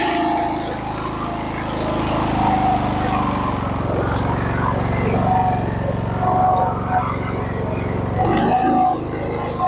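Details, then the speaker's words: Husqvarna riding mower single-cylinder engine that had backfired flames through the carb, after a new coil, new spark plug and choke fix: steady, even running with no popping or backfire; normal running. "so now it seems to be a pretty good running engine"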